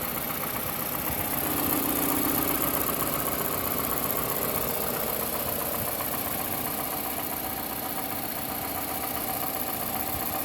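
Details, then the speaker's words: Toyota 1AZ-FSE D4 VVT-i direct-injection engine at 160,000 km at idle: light, fairly regular knock or ping about four times a second, present for months and not worsening, no power loss, gone at high rpm; source unsure, upper or lower engine. "hey guys so at hidle I'm hearing a knocking or pinging sound in my engine I'm not quite sure if it's the lower part or if it's the upper part but at high RPMs the sound tends to disappear"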